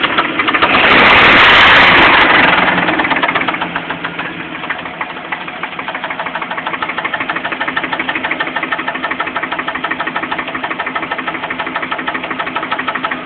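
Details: Jeep Cherokee at idle: a sharp, even knock about three times a second throughout; the owner suspects loose flexplate bolts, but this is not confirmed; engine knock.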